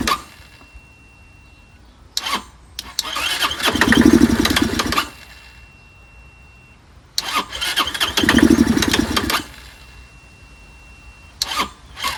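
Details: Curb-found Chinese 150cc Moto Cooper Revo/CF Moto scooter, ignition hot-wired, primed by hand: starter whirrs, engine catches a second or so then dies, repeating each attempt; owner suspects fuel delivery problem, not getting gas.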